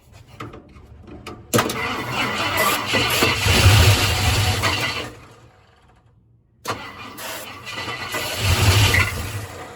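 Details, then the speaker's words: 1972 Ford F-100 Ranger XLT, first start after sitting over 10 years, on starting fluid and carb cleaner with the ignition jumpered: it cranks, catches into a rough uneven run, dies back and catches again; the carburetor is suspect. "all right well we got a runner uh I'm not sure this carburetor is any good"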